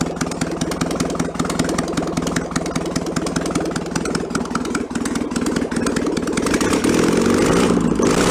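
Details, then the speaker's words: Barn-find 1966 VW Bus air-cooled flat-four, run out of the vehicle, carburettor still awaiting rebuild: steady even idle that eases lower and lower as the automatic choke (stepper) warms and switches itself off; normal warm-up idle. "it's got a stepper on this is as the choke warms up it turns itself off and the idle comes down lower and lower"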